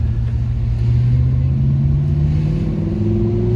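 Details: Nissan D22 Navara V8 after repair of a misfire and stalling fault, test drive in town at about 40 km/h: deep, even V8 note pulling cleanly through first gear with no misses or knocks; normal acceleration.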